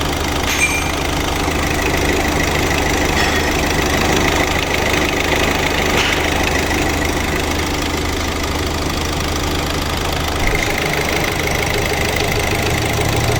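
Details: 2018 Hyundai Accent CRDi 1.6 diesel after repair of a cylinder-2 misfire and engine knock (injector/high-pressure pump work): steady, even diesel clatter at idle with no missing beats or heavy knock, so the engine is running healthy.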